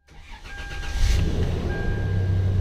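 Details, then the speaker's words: 1996 Toyota 4Runner 4x4, 3.4L V6, manual, previously cranked but wouldn't start (no check engine light, no ECM communication), after reinstalling ECM: brief crank catches within a second, smooth even idle, no misses; check engine light goes off. "okay awesome vehicle starts right up check engine light goes off"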